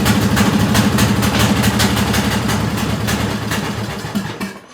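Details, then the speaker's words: Bolens M762F lawn tractor small engine: rough, uneven firing fades within seconds and dies; starts only on starting fluid, suspected gummed-up, clogged carburetor with visible gunk. "Well, something seems a little off. I'm just going to go ahead and throw that out there. Since it will only start on starting fluid, I have a good feeling that this carburetor is probably pretty bad."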